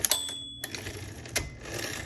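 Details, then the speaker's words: 1970s Coronet Coronomatic XL electric typewriter: sharp typing clacks then a clear bright ding as the carriage nears the set right margin; margin bell working normally, signalling time to hit return. "okay. You hear that bell. That bell goes off when you get really close to your right margin, and that's to let you know it's time to hit your return handle, so that return button, so that you can go to the beginning of the line, of the next line."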